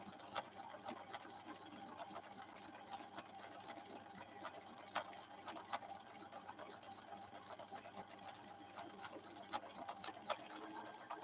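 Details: Viking Husqvarna 6460 sewing machine after several repairs, sewing a straight stretch at the maximum the slow gear allows so the motor is held back through the gears; even, unhurried needle ticking a little over one per second over a soft motor whir, running smoothly and healthy.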